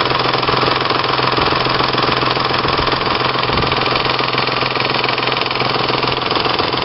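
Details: 1996 Ford Probe GT 2.5L 24V: loud, regular ticking and slapping around 210 per minute; owner suspects a loose timing belt making a pulley vibrate, unconfirmed; serpentine belt also found torn.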